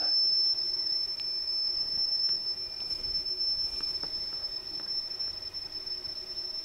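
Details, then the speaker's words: Atari XC12 cassette data recorder after repair and cleaning, with the saved program played back through headphones: a steady high data tone on the right (program) channel, clean and continuous with faint ticks. The program recorded correctly. "so it sounds like it's recorded good and was on the right side which is the program side so the actual unit has recorded my saved program"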